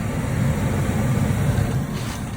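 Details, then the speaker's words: Lennox ML180 gas furnace in a crawl space, after a no-heat call traced to a dirty flame sensor: with a call for heat it reaches gas on and blower on, a steady low rumble with soft airflow hiss, running normally. "So we just got a slow red, which is just normal operation with a call for heat. So looks good. Still waiting on the blower, and here we go. It's on. Blower on, gas on."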